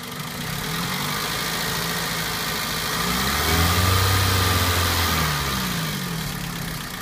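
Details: 2004 Toyota Celica GT petrol engine idling with a light regular tick, roughly four a second, over the hum; owner asks what the ticking is.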